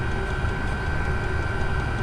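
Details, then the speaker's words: Chinese diesel air heater, starting up on a freezing day about three minutes after switch-on; fan motor winds up to a steady roar with constant mid-high tone, pulsing; running normally. "starting to pulse and you can hear the uh the motor in there just winding up and and starting to Roar"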